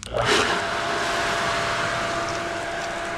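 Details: Newly replaced pool pump restarted in filter mode after backwashing, filter pressure about 17: spins up quickly to a smooth steady hum with no rattle or grinding, much quieter than the old pump; healthy.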